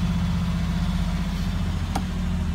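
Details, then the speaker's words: 1989 Cadillac DeVille 4.5L restarted after ECM replacement and clearing codes; steady, even low idle with a smooth constant rumble and no stumbles or knocks, idling better than before. Normal idle. "so there's a good indication that it works we have miles per gallon which before was always zeroed out it would never change so that's working now and the car seems to be idling better and starte"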